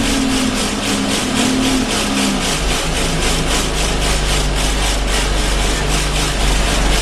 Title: Arriva Yorkshire Alexander Dennis Enviro 200 1065 (YJ09 CVD) loud vibration noises